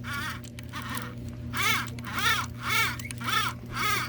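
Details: Lionel 226E prewar O gauge steam engine with pancake motor: steady motor hum with a rhythmic squeaky chirp about twice a second from a dry phenolic-plate armature bushing, needing oil.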